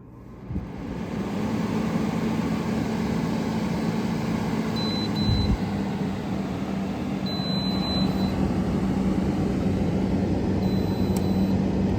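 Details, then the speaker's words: Window air conditioner, first start of the season after annual cleaning: the compressor kicks on and settles into a steady, even low hum under the fan rush, and pressures settle; normal startup. "Oh, there we go. She's running."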